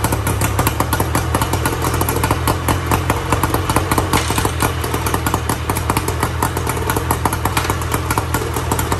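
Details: 1994 Tohatsu M40C two-stroke outboard after water pump replacement, unseizing the seized motor and freeing the locked lower unit, run with water on: busy, even buzz with steady popping exhaust pulses and no misses; running properly.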